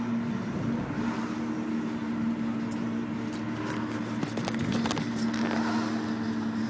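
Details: BMW E46 with the engine running: a steady mid-pitched whine holding level with no change in rhythm; owner suspects alternator failure, unconfirmed.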